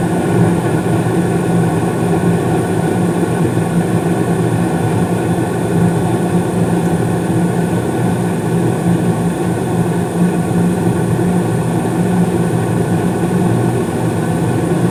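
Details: Carrier gas furnace in the basement serving the first floor, heating with blower fan running: constant smooth low roar of air with steady hum underneath, no rattles or scraping; normal operation.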